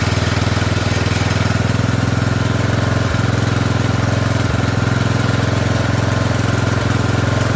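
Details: Poulan 12538 XT riding mower, 12.5 hp single-cylinder, 38-inch deck, after new carburetor fitted (old one leaked gas into crankcase): even steady thump at settled idle, no misses or knocks; oil burning off muffler; normal idle.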